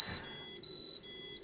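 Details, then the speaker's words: Buffalo Terastation Duo TS-WXL/R1 NAS powered on with its hard drives removed: four short, high-pitched, evenly spaced beeps about 0.4 s apart in a quiet room; error alarm because no hard drives were found. "Error, it can't find the hard drives. Duh. So it's clearly working."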